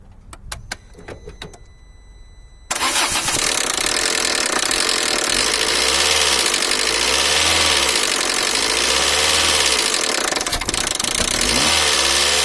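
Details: 2002 Peugeot 307SW 1.6 16V TU5JP4 starts easily and idles with sharp metallic tapping about four per second: timing belt (31,000 km, over 5 years old) jumped 2 crank teeth, valves touching pistons, nothing bent; leaking water pump possible cause; fixed with new Gates belt kit and pump.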